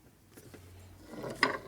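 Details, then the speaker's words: 1965 Harley-Davidson Panhead 74ci FLH during motor rebuild: light metallic ticks as the cam gear is rocked by hand with a little free play and no binding, showing correct cam gear backlash. "good okay so we have no backlash we can hear it's not tight because they can move the cam back and forth with our fingers so it's not binding so that means the teeth aren't jam together rea"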